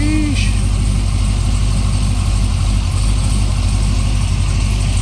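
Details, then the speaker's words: Supercharged C6 Corvette, first start after build on a base tune with injector data for the new MAP sensor: deep lumpy idle with an uneven pulse around one and a half beats a second, somewhat rough and unsettled; cause suspected, not confirmed. "uh starts Idols somewhat good uh obviously it's just a base tune from Justin with the injector data the new map [Music] sensor"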